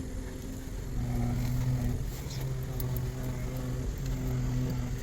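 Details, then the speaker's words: 2011 Buick Enclave after replacing rack and pinion, power steering pump and pressure hose, flushed with Dexron 6: a steady whine at idle with the wheel still, louder at idle and at full lock, lessening but persisting at 2,000 rpm. "It's winding. If I accelerate, I hear it less. If I turn all the way to the end, you can hear it there. At idle, you can hear it more."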